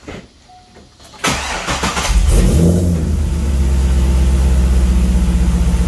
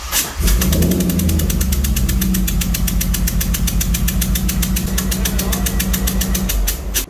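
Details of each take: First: 2003 Chevrolet Corvette Z06 LS engine after valve spring replacement: starter cranks, engine fires and settles into a steady, even rumble with no ticking; valve train sounds healthy, normal start and idle. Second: 2003 Corvette C5 Z06 LS engine after a valve spring replacement, compression tester stuck in cylinder 8. Runs lumpy with sharp regular snapping ticks, about seven a second, as that cylinder's coil arcs to ground. Misfire from coil arcing.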